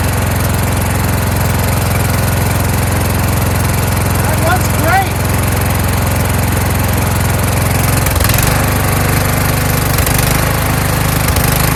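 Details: Kohler Courage engine on a tractor, after a donor-motor carburetor swap whose choke springs back by itself; started choked, winter, engine cover off. Steady single-cylinder thump at a fast idle with only a faint rise and fall; running smoothly.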